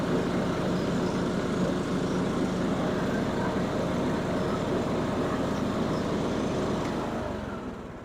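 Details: John Deere riding mower after replacing worn blades, blades engaged: steady, even engine drone holding one speed with no knocks or misses, then easing off at the end; mower running healthy.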